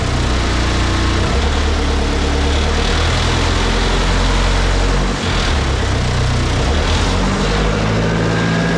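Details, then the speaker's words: Used turbo diesel in a snowcat build, first starts: loud, steady idle clatter with an even beat, no misses or knocks, slight smoke; running properly. "that is surreal that really fired up without much problem uh I mean I can't ask for better than that runs pretty good smoke a little bit it is a fairly used motor so that's okay"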